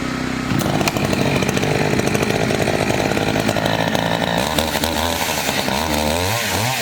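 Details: Two-stroke chainsaw of roughly 50–60cc (owner unsure, maybe 58), on its second tank and barely broken in, cutting old wood: a high snarl holds strong revs, pitch dipping only slightly under load, healthy cutting.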